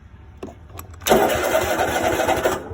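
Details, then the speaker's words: Cub Cadet XT2 mower with push-button magnet-key start switch bypassed via momentary starter switch to solenoid: starter spins engine about 1.5 s with even compression pulses but never catches, not on seat, no magnet key; crank, no start. "See, it won't start because I'm not sitting on the seat and I'm not pushing the magic button with the magnet in it."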